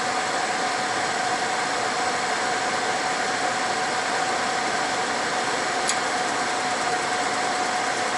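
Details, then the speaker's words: Older fifth-wheel RV with a Suburban SF-30 furnace, dead for years and repaired with a new control board, ignitor and sail switch. Set to heat with propane recently disconnected, the blower gives an even rush and steady hum, normal before ignition. "I'm just gonna turn this on to heat okay it's firing up yeah just wait a minute it may not start right up because of that propane being disconnected"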